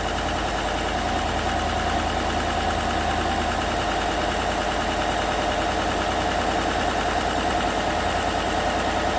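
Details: 2016 Chevrolet Silverado V8 Z71, probably the 5.3, about 135,000 km, first start after replacing all right-bank lifters (collapsed cylinder 6 exhaust lifter): smooth, even idle with no ticking or stumble; valvetrain quiet, normal idle.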